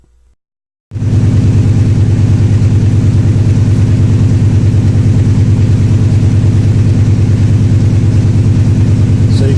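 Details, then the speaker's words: V8 driven about 30 km before the test, with 8151 misfires counted on cylinder 8 (rear, driver's side). A steady idle with a regular uneven lope of about three beats a second. An ignition coil is suspected, not confirmed; a cylinder contribution test is being run. "cylinder number eight cylinder is the rear cylinder on the driver's side and it's probably like I said about ignition coil but we're gonna make sure it's number eight that's actually got the misfire"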